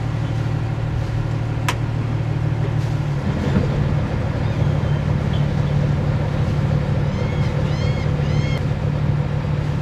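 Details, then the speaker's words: Boat diesel engine put in gear after transmission ATF fluid changes: steady low drone shifting slightly as it takes up gear, no grinding or knocking; gearbox engaging cleanly. "Okay, I don't hear anything weird so far. Nothing obvious so far. Sounds okay."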